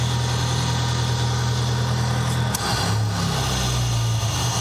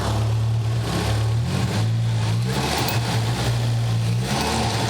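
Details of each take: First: Nissan 200SX turbo at idle during turbo investigation, after a possible backfire through the intake; steady, low idle drone with a brief waver partway through, much quieter than before but not perfectly even. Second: Nissan 200SX turbo, engine revving: light metallic clickety-clink rattle over the exhaust note; possibly fan blades hitting the housing, not confirmed; engine also has smoke and a random misfire.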